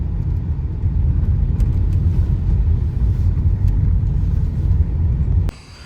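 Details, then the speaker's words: Renault Megane 2 driving on badly broken road in Mykolaiv region after new suspension arms; steady low road rumble, no knocks or clatter from suspension. "самий вбитіший маршрут мій на сьогодні перевіряємо нічого не стукає"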